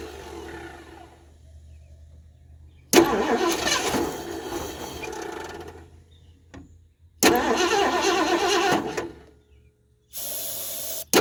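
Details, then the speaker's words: 1978 Mercury Marquis Brougham 400 parts car after years sitting, fed gas from a can into the carburetor; repeated cranking catches, stumbles and dies without settling to idle as the choke keeps sticking. Stuck choke. "now I bet we got fire wants to run that choke is still sticking"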